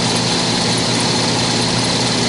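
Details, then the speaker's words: 15-year-old heat pump air handling unit blower motor: loud steady whooshing roar with a rough hum underneath; motor visibly vibrating and shaking, likely worn bushings (bearings), before motor replacement. "i'm sure the video can't pick it up but it's definitely vibrating also i really can't see the shaft spinning there's a flat spot on it uh it may be jumping around a little bit"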